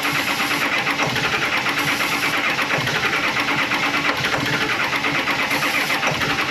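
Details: Early 2000s Ford F250 Super Duty, 7.3 Power Stroke diesel, about 400,000 miles, with ether in the air cleaner: long steady regular cranking with no firing; cranks but won't start, camshaft position sensor to be checked next.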